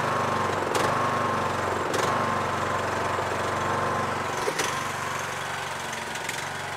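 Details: Yard Machines MTD lawn tractor, 20HP Briggs single-cylinder OHV, after magneto bypass and oil/filter change, idling while checked for leaks: even putter at steady pitch, a few handling clunks; idles normally.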